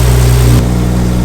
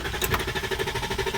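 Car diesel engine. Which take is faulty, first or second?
second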